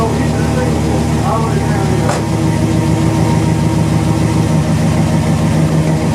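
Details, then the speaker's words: 1977 Chevy C10 started after sitting almost two years, its rebuilt engine having suffered earlier failures: a deep, steady V8 idle with an even rumble and no knocks or misses, running well. "How about it? It's running pretty good. Yeah."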